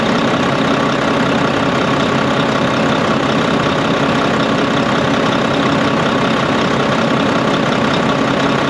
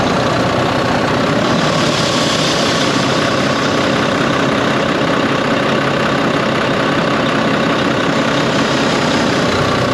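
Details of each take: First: Volvo VNL D13 truck idling after a new O-ring was fitted and the nuts tightened. The loud windy noise from the pipe, heard after an accident, came from a crimped, improperly seated O-ring. Now an even diesel clatter with no whooshing air. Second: Volvo VNL truck with D13 diesel, first start after an accident: steady idle with a loud airy whoosh, black soot at a clamp; exhaust leak at the clamp.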